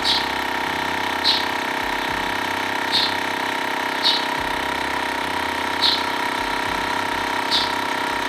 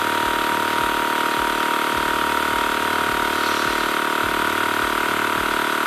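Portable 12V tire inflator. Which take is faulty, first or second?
second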